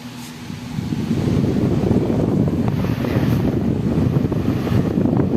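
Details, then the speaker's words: Floor fan spinning up to a steady, even whoosh with no wobble or rattle after replacing its cracked blade with a new banana-type size 18 blade; the cracked blade had caused strong vibration. "niyo mga hindi siya nag-vibrate So yun lang yung problema niya yung pinaka LC niya h siya nag-vibrate katulad nung kanina nag-vibrate siya"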